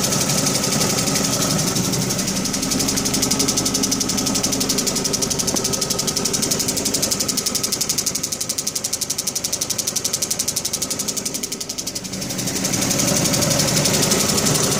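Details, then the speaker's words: 2005 Dodge Neon, about 200–300 km after head, intake and manifold gasket replacement and oil change: sharp even ticking about four per second at idle; owner suspects sticking lifter, dirt, blown manifold gasket or broken manifold bolt. "so it changed the head gasket and manifold gasket and intake gasket and about 200 kilometers on it and now she's making a real bad ticking noise"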